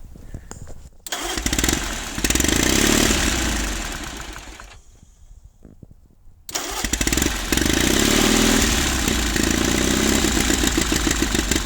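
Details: 1950s Caterpillar D4 bulldozer, sat at least 20 years, diesel blowing white smoke while being started: pony motor runs hard then cuts out as the diesel barely catches; starter pinion kicks out early and won't re-engage until the pony motor is shut off.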